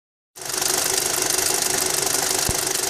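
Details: Audi A4 2.0T 6-speed Avant: fast, light metallic ticking or rattling at roughly three to four per second over a steady idle; source of the tick not pinned down.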